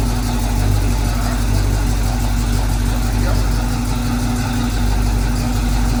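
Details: 1968 Chevy K10 pickup with a swapped-in 327 V8, on its first start-up as oil pressure comes up: even, steady idle with a smooth low rumble and no knocks, misses or surging; a normal, healthy idle.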